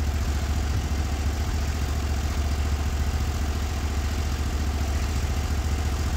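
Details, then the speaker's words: Norwood HD36v2 bandsaw mill with new roller guides replacing the ceramics, slabbing a big black oak in 1.5-inch cuts: steady even low engine drone under full load, no bogging or band chatter; band sounds happy, normal cutting. "but it certainly wouldn't be happy this band right now sounds happy so let's take another inch and a half out of it"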